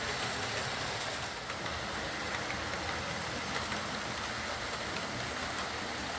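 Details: Old Lima Class 40 model locomotive in BR green, after repair with a completely replaced motorised chassis (original front bogie faulty, wouldn't run): steady even whirring throughout, no knocks, catches or surging; quiet, normal smooth running.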